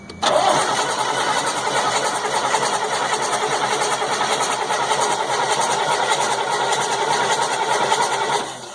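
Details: 1998 GMC C8500 with a 3116E diesel, valve cover off, cranked while checking the injectors for oil spray, ECM suspected: the starter whirs at an even speed for about eight seconds, but the engine never catches; crank, no start.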